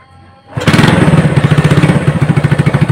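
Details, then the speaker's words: Honda Supra hybrid (BMC block right side, Honda block left) after teardown to cure a rough engine noise, valve adjuster cap off to check oil reaching the head: starts promptly, even popping idle, no knocking or rattle; runs smoothly. "Oke, untuk hasilnya ya, antara sebelum bongkar sampai udah bongkar bisa kalian lihat sendiri."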